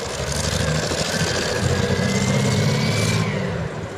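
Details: CVR(T) Striker FV102 Swingfire tank, August 2010: rough, uneven engine beat with lumpy low thumps and stumbles, about three pulses a second; misfiring badly, caused by a stuck valve; engine later replaced.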